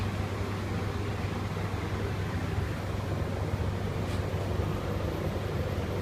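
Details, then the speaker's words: Two-burner propane forge, both burners in idle mode on the idle circuit (about 2.5 psi): low, even roar holding steady without sputter or surge; idling cleanly. "Idle mode, both burners."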